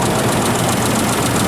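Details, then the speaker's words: Isuzu Trooper V6 with coil packs, head gaskets replaced months earlier: rough, lumpy idle with an uneven beat and the engine visibly rocking. Not firing on all six cylinders, misfire suspected. "It's doing this number right here, which is your first clue that something's wrong. It's not firing in all six cylinders, cuz if it was, it'd be balanced."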